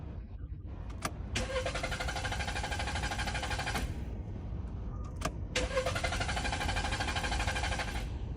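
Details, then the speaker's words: Car won't start at all and uses much fuel once running; owner had already cleaned throttle, replaced spark plug, ignition coil and fuel pump without fixing it. Two long bursts of even starter cranking, about three turns a second, never catching; clogged fuel injectors starving it. "See this car won't start at all. And after starting the fuel consumption is very high."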